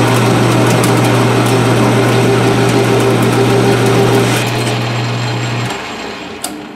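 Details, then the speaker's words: Lathe cut on 1018 steel with a quality Seco carbide insert in a cheap Shars tool holder: steady low hum under an even cutting hiss, no chatter, clean wind-down and decent finish; normal cutting. "that's doing perfectly fine it actually gave a pretty decent finish"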